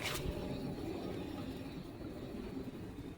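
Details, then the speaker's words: 2005 Nissan Xterra jacked up, passenger-side front wheel hand-spun: a low gritty rumble fading as it coasts down, a worn front wheel bearing making the same noise as the driver side. "The same thing is on the passenger side, making the same noise, a little bit louder."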